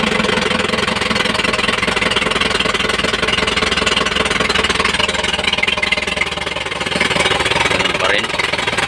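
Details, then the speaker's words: Isuzu 4JB1-TC turbo diesel that starts hard and dies, intake pipe removed at the manifold; loud clatter, shaky uneven idle, no rpm response to throttle; cause not yet found. "okay manginig pa rin siya magago yung kanyang andar so ganon pa rin kahit na tinanggal natin dito wala pa ring response"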